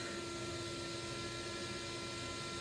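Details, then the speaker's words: Central vacuum unit, motor spinning slower than normal and vibrating; steady rushing roar with two different pitches, owner suspects a bearing going bad: abnormal motor noise. "that's a very odd sound it is not supposed to it's not even supposed to be this loud so obviously something is going bad in this thing"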